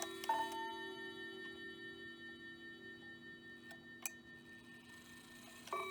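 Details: Hamilton bracket mantel clock from an estate sale (movement doesn't run, chimes work), viewed from the back, 15-minute chime: soft, clear bell notes struck cleanly over a faint steady tick, a normal quarter chime.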